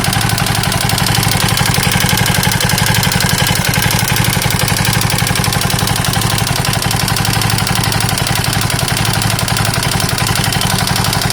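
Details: KTM 640 LC4 single at idle with heavy, slightly uneven hard thumping about four times a second; mechanical engine knock, owner unsure whether top end or bottom end.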